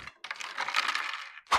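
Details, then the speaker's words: QIDI Q2 3D printer that arrived with a broken door: sharp dry cracks and ticks, then one louder snap. At first glass shards in the belt or motor were suspected, but it is the nozzle dumping filament and wiping its tip, which is normal. "It turns out this is the cause of that sound. This is where the nozzle dumped the filament."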